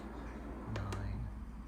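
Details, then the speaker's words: Zimo sound decoder (YouChoos Hall class sounds) hard-wired in an older non-DCC Hogwarts Express loco on the programming track: two sharp ticks a fifth of a second apart while writing address 5972; normal programming clicks. "And the red light flashes. And it makes a tick. And we hear the clicking sound. For some reason. And that's it writing the data to the decoder in the loco."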